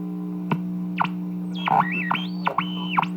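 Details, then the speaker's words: 1940 Emerson radio after repair and alignment with a signal generator: steady low mains hum under up-and-down sweeping squeals and sharp pops; reception badly distorted, possibly a cracked, rattling speaker, cause not confirmed. "maybe that is missing the speakers rattling see that we tape this to the cracked"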